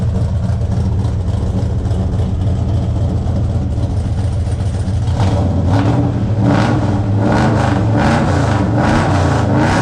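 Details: 1972 Buick Skylark with a 427 V8 on first fire and break-in, after a loose cylinder-eight exhaust rocker was found chasing a clacky noise. There is an exhaust hole for an O2 sensor. Strong, even idle with clean revs and no misses or knocks; it sounds healthy.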